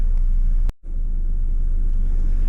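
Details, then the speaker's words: Cheap VW Beetle restarted with a new battery, idling just under 1,000 rpm: steady, even low rumble with no stumble or knock; smooth idle, though OBD later shows coolant temp sensor, O2 sensor and cylinder misfire codes. "put it fired straight back up there with a new battery it's ticking over nicely just under 1,000 revs as you would expect you can hear it's actually uh running nice and smooth as well"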